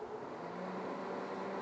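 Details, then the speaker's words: New Traeger PTG portable pellet grill, initial start-up with switch on and dial at smoke: steady even combustion fan hum with faint drone and airy hiss as the fan starts; normal, auger turning slowly. "and the fan goes on. You should be able to hear that."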